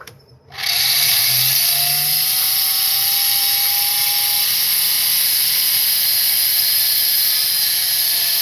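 Tool spins up to a loud high-pitched whine with a buzzy edge that holds steady, suggesting noise from the extension attachment.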